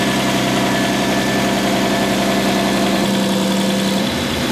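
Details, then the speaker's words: RB25DET-swapped Nissan R33 first run after engine swap, warm at operating temperature: steady idle with light uneven ticking from the head, hydraulic lifters still bleeding down, quieter than the day before; expected to clear with revs and load. "so the head's still a little noisy not nearly as bad as yesterday it's gonna take a little while for it to bleed out once we get it up in the rpms and get some load into it that should bleed right out"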